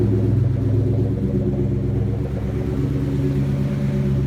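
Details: 2004 Mustang Cobra V8 after no-start, running on swapped-in 12.4 V battery: steady, even low rumble, starts and idles cleanly, no misses, knocks or surging. Normal idle.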